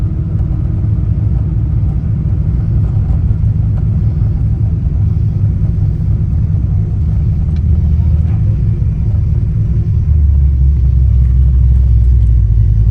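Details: Ford Mustang Fox Body after replacing the distributor pickup (PIP/stator) to cure a 4,000–5,000 rpm miss; steady, deep engine rumble under way, smooth and even with no stumbles or misses, sounding healthy.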